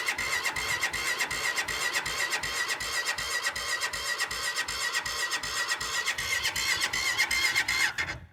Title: Cold start❌ won't start✔️